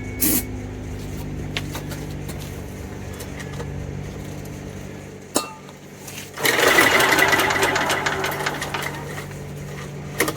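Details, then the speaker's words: Homelite 3500 W generator (Honda-clone engine) with broken carburetor and rusty tank: several pull-cord bursts, each a quick even whir dying with no puffs or firing; no compression felt, later traced to a stuck valve. "Heat. I'm not feeling any compression out of this engine. So, I'm going to have to check for compression."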